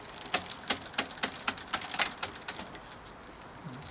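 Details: Kalkhoff e-bike Shimano Alfine gear hub pedalled on the stand during oil change, flushing oil in: light uneven ticking about four per second; clattering/banging drive sounds a little better, some clatter remains, cause uncertain.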